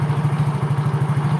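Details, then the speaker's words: Soul GT 115 scooter at idle, long unserviced: steady low putter with a faint continuous whine from the CVT block, possibly a bearing or worn rollers; engine otherwise smooth, power fine. "Memang ada suara ngeseng di blok CVT, tapi itu wajar karena udah lama nggak diservis, udah lama nggak dicek"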